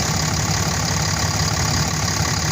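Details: Dodge Cummins 5500 diesel, just after an alternator replacement, with the new alternator charging at almost 15 volts: a steady, even idle with a smooth low rumble and no knocks or whine.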